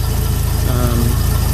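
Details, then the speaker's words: Ford Bronco with 300 inline-six idling: deep, uneven loping throb, with vacuum dropping from about 16 to 12 inches. The fault is intermittent; while loping, driving power is lost. "sometimes I Drive it and it does it and like you're seeing right now sometimes it does it even woof just idling"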